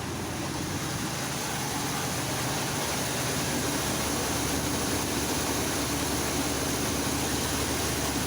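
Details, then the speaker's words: 1985 Chevy C10 V8 after carburetor replacement: steady even idle set too high, fast busy note, before idle is turned down. "so the one thing that bothers me is that the idol is actually a little too high on this thing so i'm going to turn it down a"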